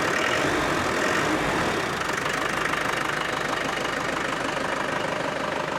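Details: Land Rover Defender 110 300TDI diesel idling after replacing the turbo boost line and wastegate hoses: even steady clatter, no misses or stumbles; owner thinks it sounds different with the turbo now audible; normal idle.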